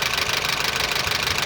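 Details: Honda Civic engine droning and noisy: a rapid, light, even ticking over a steady idle. The mechanic suspects worn bearings and axial play in a component; the exact source is not confirmed.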